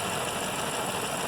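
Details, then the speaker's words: 2012 BMW M5 S63 4.4 after ECU replacement fixed intermittent multi-cylinder and cylinder 5 misfires (P0305, 140010, 140510, 140001, 140501): smooth even idle with steady beat, no stumble or skipped firing; normal idle, problem gone. "Bu araç bir ses yapıldı bir sesleri yapıyorum herhangi bir sorunu kalmadı"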